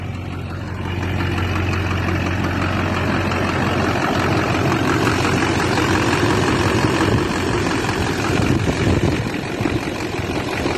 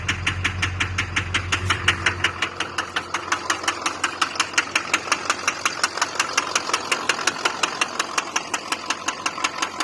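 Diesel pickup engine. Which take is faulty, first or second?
second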